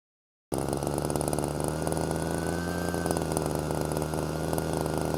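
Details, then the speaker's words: Hedge trimmer engine after rebuild, started on choke: it holds a fast, steady buzz well above normal idle. Air leak found to be a cracked intake manifold. "The idle's so high. Why is that so high? We gotta investigate."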